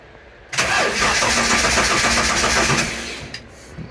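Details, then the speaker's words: TVR with MegaSquirt MS2 ECU after conversion from TFI to VAG coil packs, fuel present, VR sensor mounting suspected: steady fast cranking with no catch, ECU showing no RPM trigger; cranks but will not start. "no RPM trigger right so as you saw I'll get a no RPM trigger on there"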